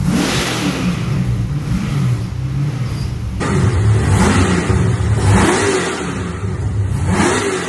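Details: First start of an LS1 V8 in an XG ute, with a better carby and a custom full exhaust without a further muffler; deep mellow burble swelling and falling smoothly with each throttle blip, no misses or knocks; normal idle and revving.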